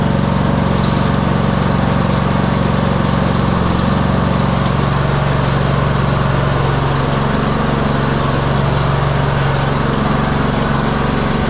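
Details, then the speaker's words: 2015 Craftsman T2200 lawn tractor, 19hp Briggs and Stratton engine, automatic General Transmissions transmission, test run in pouring rain after reassembly. Steady even drone, no stumbles, knocks or grinding; working perfectly, that fixed it. "It's working perfectly. I don't even think we need to go out in the rain, but might as well."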